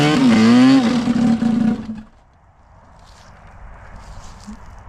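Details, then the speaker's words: Arctic Cat F7 two-stroke snowmobile on a stand, warming up after a year or two away, on questionable fuel: pitch sags and wavers, bogging right down, then dies after two seconds; lean running suspected, fuel then drained and replaced. "No, it didn't sound good. It did not sound good. She was bogging right down."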